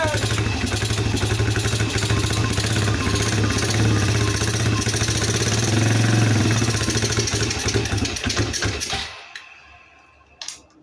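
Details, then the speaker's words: Polaris Phoenix 200 single-cylinder quad, long stored, on choke with carb cleaner sprayed in: putters unevenly, surging and stumbling before dying; runs badly from a dirty carburetor to be removed. "It does run, runs pretty terrible. We're gonna pull this carburetor off."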